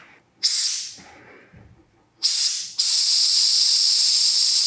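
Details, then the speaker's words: Removed fuel pressure regulator (300 kPa/43 psi) from a 2000 Suzuki GSXR 750 that sputters but won't start, air-tested down to about 10; bursts of hiss, then steady air blowing through. The regulator is leaking and is the culprit, so it is replaced. "well I can still roll through it at like 10 this is definitely the problem"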